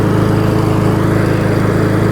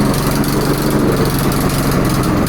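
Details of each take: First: Single-cylinder lawnmower that had flooded and had low oil washed out with fuel, which was changed: a steady, even drone at constant speed, firing regularly with no knock, miss or hunting. Runs healthy. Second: Lawnmower just serviced without proper tools. Uneven, lumpy idle that stumbles and wavers instead of holding steady; it runs only barely: rough running, cause not confirmed.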